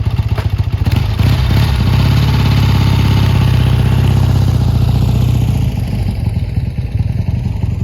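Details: Triumph T140 twin after new carbs fitted and an intake air leak sealed with extra clamps: deep, even thump at a steady idle, regular firing pulses, no misses, popping or clatter. Normal idle.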